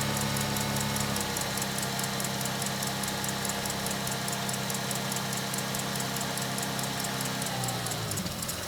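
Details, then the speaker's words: 1999 Ford Mustang just started after a fuel filter, transmission filter and fluid change, not yet warm, before cycling through the gears. Uneven idle with a low beat that wavers and hunts instead of settling; rough idle, cause unknown. "There we go. Oh, she's grumpy. Real grumpy."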